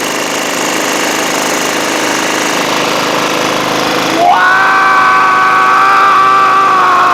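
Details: Toro Wheel Horse 1238XL lawn tractor, after carburetor replacement, gas tank cleaning and a jumped solenoid: an even engine note picks up at about four seconds, then holds a steady higher tone, running cleanly.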